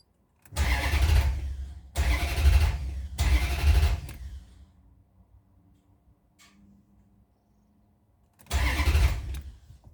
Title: Maserati GranSport hard starting 2 trouble shoot